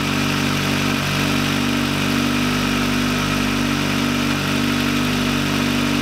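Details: VW Lupo 1.8T with GT30 turbo, first start after engine damage and rebuild (H-beam rods, new bearings, 2 mm head gasket): steady, even idle with a smooth low hum, no knocks or ticks; runs very well.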